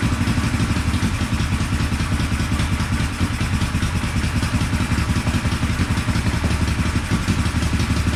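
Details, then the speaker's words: 1974 Honda CB450 twin, sat for a couple of years after restoration, gives an uneven idle with sharp pops back through the carbs; ignition timing is about 20 degrees off (retarded), checked with a timing light, and the points cover was improperly installed. "the timing was way off like probably 20 degrees off that's why we were getting some pop sizes the carbs and everything"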